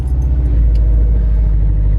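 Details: 2008 Subaru Impreza STI after installing RCM2460 fuel pump, fans off: engine catches and settles into a deep, even rumble with no stumble or cut-out; starting and idling normally.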